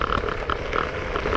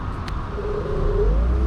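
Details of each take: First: Z8 electric scooter riding: a light, irregular clatter from the rear as the rear fender (wing), bent by vibration, bangs against the solid rubber rear tire. Fender rattling against the tire. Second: Z8 electric scooter (15 kg) riding in speed mode 3 with the controller's electric brake engaging. A smooth electric whine shifts pitch with speed over road rumble: clean, normal electric brake sound.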